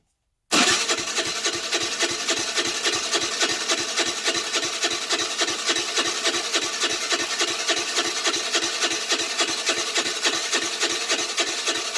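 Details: Half-gutted 2008 Baotian Tanco 50cc four-stroke scooter with fresh gas: starter grinds steadily with no catch; cranks, no start. Plug keeps coming out wet, flooding; owner suspects a fouled-up carburetor.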